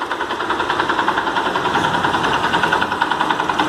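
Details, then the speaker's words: Chevrolet Monza engine at idle, noise on the starter side, gone at high rpm: steady quick ticking knock about three per second over the idle; possibly the starter one-way clutch assembly rattling. "barulho é mais caracteriza esse lado não pode ser que a embreagem o direcional que fica no conjunto da partida elétrica está fazendo barulho"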